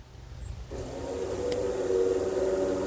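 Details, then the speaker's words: 1985 Ford F250 Bullnose sitting 24 years in a pasture, electric fuel pump switched on by inserting inline fuse: quiet, then steady even buzzing whine without faltering; pump runs normally and delivers fuel. "So, when I put the fuse in this, we should hear the fuel pump kick on."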